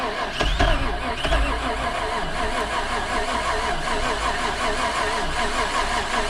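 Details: Buggy's cold start after sitting about 3 months following an overnight swamp burial, jump-started after bad-battery trouble: cranks, catches with a couple of rough pulses, then settles into a steady, even idle; healthy start, though a tune-up is planned.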